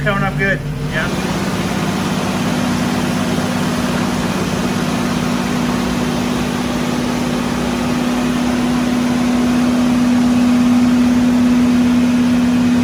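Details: Restored Jurassic Jeep #73 engine running after reassembly and first start, distributor turned 180° to fix starting, stuck rpm gauge fixed; steady tone rising and settling as revs held up, no knocks or ticks: normal.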